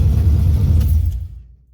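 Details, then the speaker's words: G-body Super Sport after ignition upgrade (NGK plugs, Pertronix E coil, MSD 6AL, MSD billet HEI, MSD wires), AFR heads, Hooker headers, carbureted: cold start, deep even low rumble with no misses or knocks; firing on all cylinders. "We have success. Spark plugs, it's hitting on all cylinders. Not bad for a cold start."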